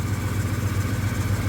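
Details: 1977 Ford F-150 idling with blower motor and headlights on as electrical load: low steady pulses, no stumble or hunting, charging normal. Truck would not shut off with the key and kept running off the alternator; the voltage regulator was found bad.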